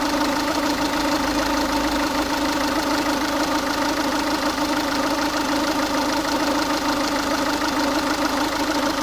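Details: Ford Focus 1.6 TDCi diesel idling warm, noise only appears when the engine is warm; an extra hard clattery knock rides over the even idle roughly once a second, cause unknown.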